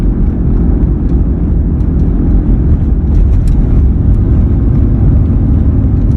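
A steady low drone holds under the road noise the whole time while driving; it's a hum, but the source isn't clear from this.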